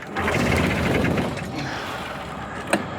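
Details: Homemade mini Curtiss JN-4 Jenny WW1-style airplane engine, not started in 13 years, switches on, prop hand-swung: quick uneven chuffing through compression with no catch or firing; cranks but will not start.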